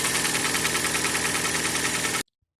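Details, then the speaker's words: Hyundai ix35 with G4NA petrol engine at idle: a fast, even metallic knock from piston slap caused by heavy wear of the piston group, with scuffing. "вот причина скука перекладка поршня и только ждать перекладку произвожу слушая стук"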